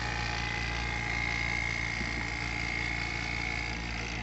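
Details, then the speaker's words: A/C vacuum pump just switched on, both manifold valves opened together to evacuate the car's A/C system, sound changing as it pulls: steady buzzing drone with constant high whine, even pitch; pump running normally. "You want to turn it on, just like that. Let it run a little second. And what you want to do to both of these valves, you want to open them up at the same time. You will hear it. You will hear the noise, the difference of it's making."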